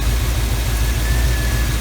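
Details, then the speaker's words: 1975 Chevy Camaro V8 idling after fouled spark plug fix: steady, even low rumble with no misses or stumbles; load test confirms number 1 plug now working, firing on all cylinders. "Definitely firing on all Chevrolet cylinders now."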